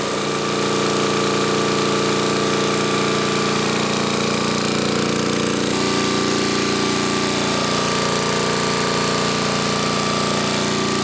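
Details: 1980 Homelite 5000 W generator with cast-iron Briggs engine and changed exhaust, running a 220 V 3 hp air compressor (about 3,400 W): a loud, steady drone that holds firm with no surging, stumbling or knocking; it handles the load well.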